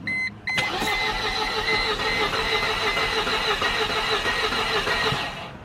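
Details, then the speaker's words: 2000 Mercedes-Benz C230 Kompressor that cranks but won't start, new battery just fitted: starter spins fast and light, about three beats a second, no firing or compression drag, sounding like very low compression. "all right and what we're going to do because the way it sounded it sounded like I I had like very low compression"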